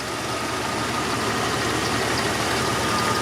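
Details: Jeep XJ (Limited) barn find after oil pump replacement, idling just after starting, left to warm up, oil pressure higher than before, belt needing tightening: steady even idle, no knocks, ticks or misses; healthy.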